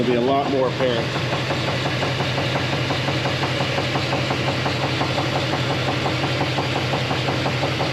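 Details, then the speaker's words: GMC K1500 Jimmy V8 at idle: a regular, sharp knock of about three per second that grew more pronounced after a few weeks on the road. A bottom-end cause is suspected but unconfirmed, pending dropping the oil pan. "so with that in mind here is a clip of the knock that we're looking at i'm gonna let that play right now"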